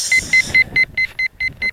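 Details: RC plane's P1600 ESC on the ground in a hay field: a clean high beep repeating about four to five times a second, which later stopped. The ESC was warning about something of unknown cause.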